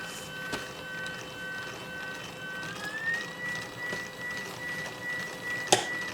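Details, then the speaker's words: Stepper motor driven by Raspberry Pi spinning a 3D-printed helical cage gear cup, ramping to full speed: thin high whine stuttering then rising and holding, loud; owner suspects raising microsteps may reduce it. "I'm wondering if maybe if I increase the micro steps we can get that noise reduced, because that's kind of noisy and annoying the way it is."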